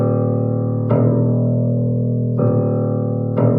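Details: Bass string of a 1935 Blüthner 5ft grand with original coned strings, note struck repeatedly: clean, steady ring and smooth decay with no buzz; healthy bass string tone.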